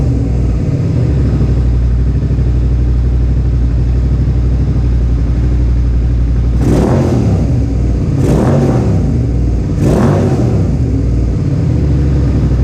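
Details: Suzuki SV650S V-twin at idle after carburetor synchronization, ahead of a track day: a deep, smooth idle with three clean throttle blips that rise and settle evenly. The carbs are judged synchronized enough and the engine sounds healthy and balanced.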